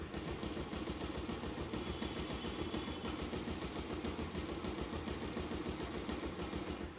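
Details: Bajaj Pulsar 150 after full engine rebuild (engine had seized and sat 2 years), cold start at idle: even single-cylinder putter, about three to four beats a second, slight normal Pulsar whine, no knocks or rattles; normal idle.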